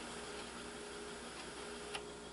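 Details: Kenwood KX-67W double cassette deck, rewinding before high-speed dubbing: soft even whir of tape winding, then light click and small clunk as the transport stops cleanly; healthy mechanism.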